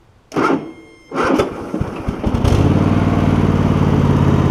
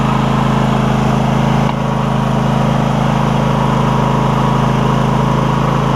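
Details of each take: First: Cub Cadet GT1554 garden tractor with Kohler V-twin, new ignition coils, restarting hot after 30 minutes mowing: slow, labored cranking in uneven bursts before it catches and settles into steady idle; weak starter cranking. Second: Cub Cadet GT1554 garden tractor with Kohler V-twin, after new ignition coils for a misfire, warm day, blade disengaged: smooth, even drone with no skips or stumbles; both cylinders firing cleanly; normal running.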